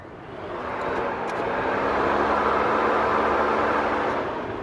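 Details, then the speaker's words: 1994 Geo Metro that won't run, with a fuel problem and multiple electrical faults: the cooling fan relay is open, and pressing on it kicks the fan on, giving a steady whoosh that builds and holds. Cooling fan relay open. "so you can see here this relays open if I press on it"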